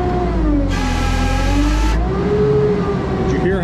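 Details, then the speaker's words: JLG 80HX boom lift, diesel hydraulics with low pressure (2400-2600 vs 3000 spec) on telescope: sustained, wavering squeal over low diesel rumble as the circuit dead-heads at peak against its relief valve. "the squeal is very different it's a different relief valve and one more time on the relief valve for the whole valve block"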